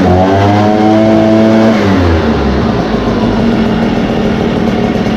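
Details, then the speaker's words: Echo two-stroke after Zama carburetor replacement and idle/high/throttle adjustment, hot at operating temperature: crisp buzz revs up cleanly then settles into a steady, even run with no stumbling. "all right and that is it that pretty much got up to operating temperature it's pretty hot"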